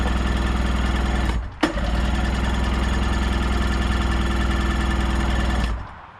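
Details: 1990 Sea-Doo GT with 587cc Rotax engine, bought as a non-runner, cranked on choke after a spray of starting fluid: steady fast starter churning about four pulses a second that never fires; cranks but won't start, so spark is checked next.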